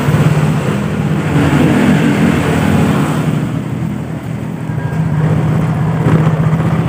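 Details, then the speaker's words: Yamaha Mio GT scooter with imitation CVT parts, throttle with no free play: pulls away on a little throttle with an uneven, severe shuddering drone at low rpm; suspected too-tight clutch or weak clutch springs, CVT clutch judder. "Ini digas sedikit langsung nyelonong. Nah ya, digas sedikit langsung nyelonong dan bergetar."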